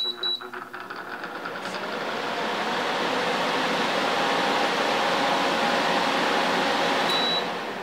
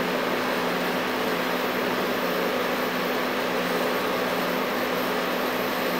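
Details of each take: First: LG LHD659BL dehumidifier found in the trash, switched on to check the compressor: rushing hum builds then holds steady as fan (high then low speed) and compressor come on; normal start-up. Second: LG LHD659BL curbside dehumidifier after 10–15 minutes running: steady fan rush with faint compressor hum, but coils not cold; runs without cooling, owner suspects refrigerant leak, not worth fixing.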